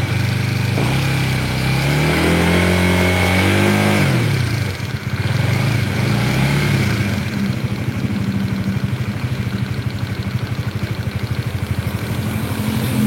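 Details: Honda CBR DOHC engine revving and settling with fast regular clacking ("lato-lato" sound), about three per second over exhaust, seeming to come from the middle of the engine rather than the top; cause undetermined.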